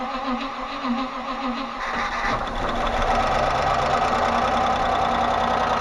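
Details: Range Rover Classic 3.5 V8 catches and settles into a fast idle with a dull, steady tapping about three a second, thought to be hydraulic lifters around cylinders 7–8; lifters checked without finding play. Cause suspected, not confirmed.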